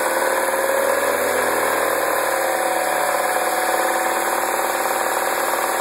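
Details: 2009 MINI Cooper (non-S) at idle: busy metallic chatter over a steady idle that stays with the engine; an engine-bay rattle, source unknown.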